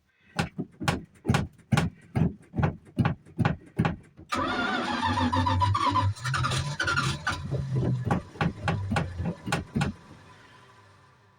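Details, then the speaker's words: Old Dodge Power Wagon with 318 small-block, cranked in winter to build oil pressure before starting fluid; slow labouring crank about three turns a second, brief catch, then starter drags and winds down, typical of Dodge starters. "sounds like it's trying right now [Laughter] even typical Dodge starters they sound like a dying"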